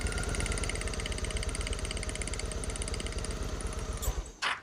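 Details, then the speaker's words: Twin-carb Honda Shadow VT750 V-twin after the carb sync; the idle picked up slightly. A steady, even thumping idle with clean firing and no misses: normal idle. The sync is rechecked every 16,000–24,000 miles. "so that is running great the idle picked up a little bit so all I need to do is just lower it down a little"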